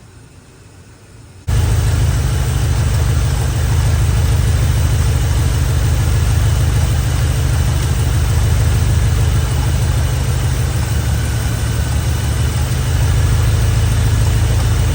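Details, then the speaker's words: Chevy Square body barn-find V8 with 650 Edelbrock carburetor: engine catches and settles into a steady, deep, even rumble with no knocks or misses; normal running, though carburetor is loading up. "Doesn't sound bad. Well, it didn't sound bad. Okay. Needs a little bit of work, needs a little love, but it sounds good. It's a good sounding engine."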